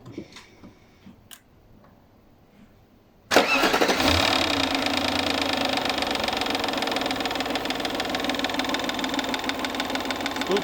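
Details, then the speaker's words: Audi A8 D2 with the ABZ 4.2 engine started with the drive belt removed for diagnosis: it fires up and idles with a fast, light rattling knock that seems to come from the timing cover area. It was later traced to a loose front timing cover missing a bolt. "Какие-то стуки вот в этом районе отдают на крышку ГРМ."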